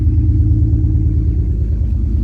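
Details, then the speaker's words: BMW E46 drift build started just after its first wash and detail in years, owner worried water reached plugs or intake: low idle rumble with an uneven, stumbling pulse; misfire at idle. "I don't know if you can hear that but it kind of already sounds like it's having a bit of a misfire"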